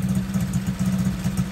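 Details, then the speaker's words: Masai 50 Black Road being repaired for a customer, with an engine service and a new wiring harness. Small two-stroke idle swells and sags every few tenths of a second and won't settle, with the revs visibly going up and down. Hunting idle. "c'est de la merde ça monte ça descend ça on [Rires] voit le régime cette fois"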